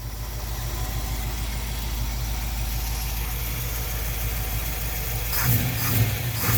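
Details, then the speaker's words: Jeep CJ-7 with an AMC 304 V8 and a mild cam, base timing at 10 degrees, manifold vacuum restored: a steady, lumpy idle, then a quick, clean rise in revs near the end with no knocks or misses. The engine revs freely and is healthy. "That cam likes to rev. All right, you're going to be a little jiggly there, but you'll get over it."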